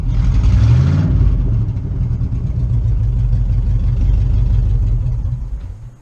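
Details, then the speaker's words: 1977 Chevrolet K20 4x4 after carburetor service, first start in about 16 years: blips once, then runs smooth and even with no misses or knocks before winding down; good oil pressure, running pretty good. "that's the first start in about 16 years she seems like she's running pretty good"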